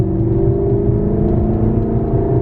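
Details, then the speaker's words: 2018 Maserati GranTurismo, flooded car, blown engine replaced with 4.7 L V8, first test drive in sport mode: smooth V8 note rising under light acceleration, clean, no rattles or whine; running normally. "heck yeah we're back baby maserati's an s a base sport model"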